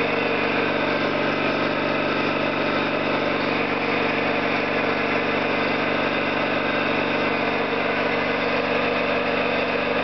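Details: Orlík 2 JSK 75-2 compressor at one of its first starts after rebuild (valves, seals), motor provisionally started in star for the house breaker; even continuous mechanical chug with steady pulse, no knocks or rattles; normal running.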